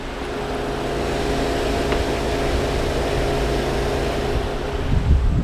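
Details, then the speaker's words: Mercedes SL500 R129 electric coolant fans, low-speed relay (15 A) jumped with a probe: a steady, even whoosh with a constant low hum and no rattles; the low-speed fan circuit works cleanly. "This is a very good sign. That means that circuit is alive."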